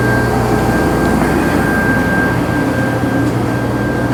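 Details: 2012 Ram 2500HD with 5.7 Hemi, towed in for crank no-start (P0685, fault in the TIPM ASD relay control side), running on a relay jumper bypass: steady, even V8 drone with a constant low hum, no misses or knocks, smooth normal idle.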